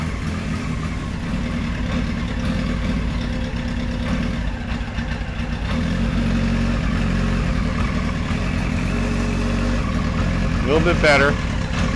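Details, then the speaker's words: 1973 Kawasaki Z1 900 four, first year: lumpy, wandering, stumbling idle, running worse than the day before; two resistor plug caps were bad and number one plug sparked weakly; suspected misfire on one cylinder. "well now it's not running as good as it did yesterday he just doesn't want to run"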